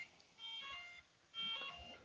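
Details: RC propeller warbird LED setup, ESC disconnected from the radio: high-pitched beeps about half a second long, roughly one per second. This is the speed controller warning that no motor is connected.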